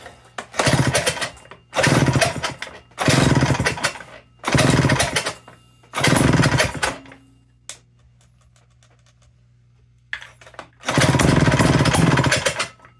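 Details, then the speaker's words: Sears chainsaw before restoration, with bar and chain removed and no fuel tank connected: six short, rough two-stroke bursts of about a second each with gaps between; the engine fires and runs briefly, showing it works. "She started up, she ran, she sounded pretty good. So we know we've got a working engine here to work with."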